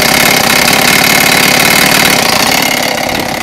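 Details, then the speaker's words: Blade Z Moby X scooter upgraded from 26cc to 49cc two-stroke, idling: buzzy idle with a faint ringing, slightly uneven tick, owner unsure if knock or singing noise; otherwise runs fine. "Now it almost sounds like there's a little bit of engine knock. I'm not sure what's going on there, but if you listen closely."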